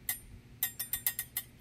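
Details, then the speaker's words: Haisa electric scooter: quiet, high metallic tings in uneven bursts as the wheel turns, worse when turning. The brake rotor rubs an off-centre caliper pad; the fix is loosening the caliper bolts to re-centre it. "so tinging noise like I was saying it sounds something like this"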